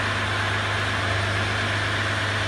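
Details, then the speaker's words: 2014-2016 Ram EcoDiesel at about 15,263 miles idling steady and even after a fuel filter replacement and priming; it started easily, with no rough running, misfire or leaks. "Idle's good, it's not running rough, it's not misfiring, had no problem starting."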